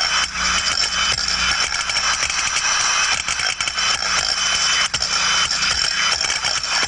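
Hissy rushing flow that swells and eases unevenly, the changing sound of a float trap working normally.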